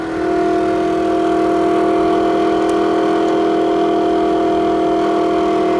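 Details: Toshiba exhaust fan in a restaurant toilet, heard down the hallway: loud, constant droning hum with a strong steady buzz; abnormal fan noise, cause not yet traced.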